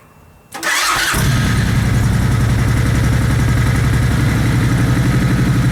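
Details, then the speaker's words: Suzuki Boulevard C90 V-twin with aftermarket pipes and a Power Commander fitted to cure exhaust popping; cranks, catches within a second and settles into a steady loping idle with no pops or misses, a normal start and idle. "but that eliminated my problem with that popping I'm pleased with that and throttle seemed a little bit more responsive than it were you know"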